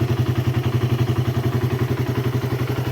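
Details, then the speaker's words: Raider 150 after valve and valve-seal repair for a loss of compression, now on a 28 mm KD round-slide carb, idling with a stable, quiet, even thump of about ten beats a second and no smoke; normal idle. "Sobrang tahimik ng makina mga paps. Ayan naka 28 mm na na carb siya. KD na round slide. Stable na stable ang menor."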